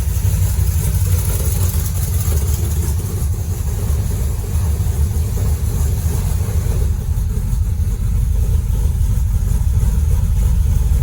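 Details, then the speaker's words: First fire-up of a new 403 stroker V8 in a Dodge Dart with Hedman ceramic headers, 3-inch exhaust and Flowmaster FX mufflers: deep, steady, even rumble with good oil pressure; normal idle. "It's alive! And we got awesome oil pressure."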